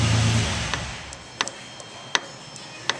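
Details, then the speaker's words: 1968 Mustang Shelby drive shaft rocked by hand: sharp single metallic clunks about every 0.75 s from play in a worn U-joint; front and rear U-joints recommended for replacement with the shaft removed. "hear the knocking noise there so I recommend removing the drive shaft and replacing uh the front and the rear your joints while we have it out"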